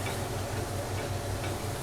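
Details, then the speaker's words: Taylor self-contained soft serve machine on single-phase power, empty, refrigeration untested: low steady beater motor hum with faint regular tick on clean mode, no grinding or labouring; beater and pump start normally. "I can hear the beater start. If I put it on pump, I can see the pump start."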